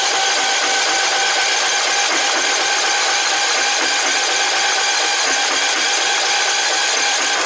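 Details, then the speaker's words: Cub Cadet LTX 1045 riding mower engine, first start after purchase: it began knocking while mowing and was found with no oil on the dipstick before oil was added. A loud, harsh, rapid, unbroken clatter, first taken for a rod knock, turns out to be a loose counterbalance weight knock. "Don't sound all too good. Ooh, yeah, that's definitely got a rod knocking. Holy crap, even knocked the sign off the motor."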